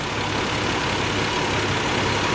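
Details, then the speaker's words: 1990 Nissan 300ZX twin turbo after a PTU replacement meant to fix a misfire: engine idles evenly with a steady low hum and no stumble or hiccup, though water temperature runs a little high. "sounds like she running smooth fellas"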